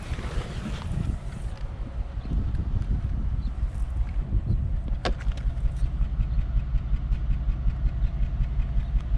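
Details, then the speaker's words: 2001 Cadillac DeVille with P0308 code, cylinder 8 misfire, before coil pack replacement: low lumpy idle with a regular skip in the exhaust beat; misfire from failed ignition coil, hot catalytic converter smell noted. "is actually skipping the code is 308 number eight cylinders misfired"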